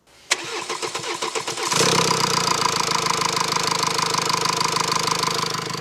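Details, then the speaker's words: Mercedes C222D diesel, OM654 engine, after worn camshaft lobe repaired by welding and grinding and rocker arm work: slow cranking from air in fuel line, then steady, quiet idle with no ticking; normal engine. "Công việc của cánh tay rocker hiện đã hoàn thành và âm thanh rất yên tĩnh. Đây là một động cơ bình thường."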